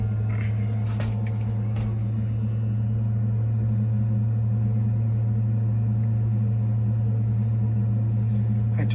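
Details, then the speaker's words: Navien NPE-2408 tankless water heater that showed error E110, after cleaning its clogged air intake screen: steady, even burner roar with no rattles or popping as it heats. Normal burner operation. "plug it in it's going through its startup like i said it was given e110 sounds like it's about to work these are pretty quick too so not sure if you can hear that on the video but it's already in the water he's doing its"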